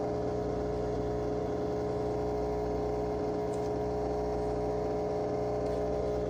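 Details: Whirlpool/Maytag WTW5105HC2 washer in factory diagnostic mode with the lid locked: the drain pump is activated and gives an even, steady mid-pitched electric hum, which is normal operation.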